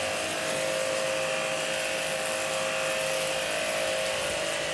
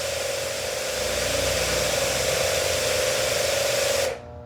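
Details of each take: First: Hanabi JBD 8003 pressure washer, 127V induction motor, 60 bar: steady high motor drone with quick even pump pulse until shut-off, louder than the first-version Hanabi; running normally after bleeding air from the hose. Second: Hanabi 8003 high-pressure washer, 127V induction motor, 60 bar rated, running at the nozzle: steady hissing spray with a thin motor hum, stopping after four seconds; weak, low pressure output, cause not confirmed.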